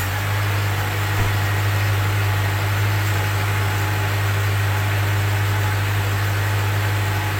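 Steady, even idle hum with no misses or knocks; the engine is running smoothly after the jump-start.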